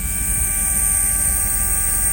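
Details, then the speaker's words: Mercedes W140 soft-close door assist pump running with engine on, alternator supplying about 14 V versus roughly 12.5 V from the battery, so the pump spins noticeably faster; steady, even whir at constant pitch, no rattle or strain; normal operation. "even by the noise of the pump you can obviously hear that it's spinning way faster because of higher voltage. The higher voltage is coming in because obviously the alternator is spinning, so it's like 14 volts versus 12.5, 12 whatever, 12 and a half, let's say, of the actual battery."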